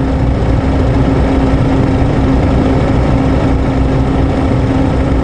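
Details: 2003 Honda Accord 2.4 at idle, just started, with a whining/humming complaint and voltage dropping to 11.5–11.9 V: a steady mid-pitched whine over an even rumble. A thermal camera shows the alternator very hot (about 250°F); the alternator is fried and needs replacing.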